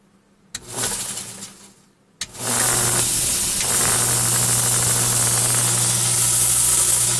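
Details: Belt grinder with oil streaks running from the center of a bearing: after a brief start it settles into a loud steady hum with belt hiss and a buzzing rattle, showing excessive vibration.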